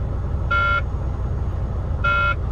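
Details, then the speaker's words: Semi-truck idling in the yard before hooking up its first trailer; two short, even cab warning buzzes about 1.5 s apart over a low idle rumble. Cause unknown; reported to maintenance. "You hear that buzzing? I am just cursed with trucks, man. Cursed."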